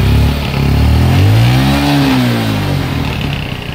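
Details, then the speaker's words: Old-model Hero Honda Passion Xpro motorcycle, running after fitting an HT coil: small single revs rising and settling smoothly with throttle, no misfire or stumble; running fine. "এই বন্ধু, start করে ফেলেছি, এই গাড়ি start হয়ে গেছে।"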